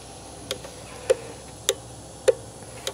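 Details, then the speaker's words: Land Rover relay being checked on a battery-powered relay tester: crisp single clicks about every 0.6 seconds as it switches back and forth 10 to 20 times in a quiet room; relay clicking normally, good. "here it just swapping back and forth so it'll do that 10 I don't know 15 or 20 times I don't know but then you get to if it's good it's a green light"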